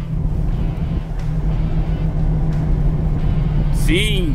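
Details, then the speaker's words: 1998 Ford F1000 4x4 driving, filmed at the wheel: steady deep droning roar staying even while rolling, no knocking or grinding. Normal noise of its mud-terrain (MT) tires. "tudo na vida tem ônibus e bônus certo tudo tem ônibus e bônus Portanto o bônus de ter um pneu a MT tem esse esses ônus dos barulhos"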